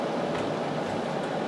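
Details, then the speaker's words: Fellowes AeraMax DX95 air purifier fan switching to high then auto after replacing the 120 µF 400 V capacitor: smooth, steady airy whoosh and even hum, no surging or rattle; normal operation after repair. "as you can probably hear the fan speed has come on too high and Sammy still working fine back to alternate so there we are"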